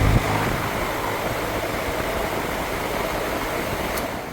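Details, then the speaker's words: Goodman heat pump outdoor fan motor (aftermarket) that had been screeching, reassembled with its old dry roller bearings cleaned and greased since new ones were wrong size; steady air rush, no grinding, squeal or rumble; sounds fine. "Sounds fine, really."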